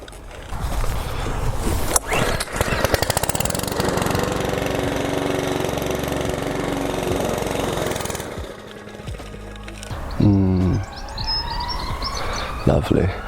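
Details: Mountfield lawn mower: fires, runs roughly for several seconds, then sags and cuts out around eight seconds; stalling after starting, suspected fuel or air supply problem, not confirmed.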